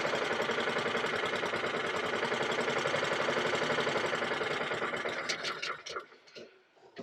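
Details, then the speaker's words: Briggs & Stratton 450E mower during full service (had started then cut out after seconds), after HT lead refitted: quiet single ticking over with quick even patter, a little slow, needs speeding up, then fades off; healthy. "it's nice and quite engine it needs a bit of a speed up"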